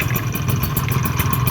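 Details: Honda Baja AF28 two-stroke scooter, bored to 44 mm, full build on stock carburettor, engine still cold: loud buzz with sharp clattering tick about six per second from the fan side, feels sluggish; abnormal engine noise, cause not confirmed.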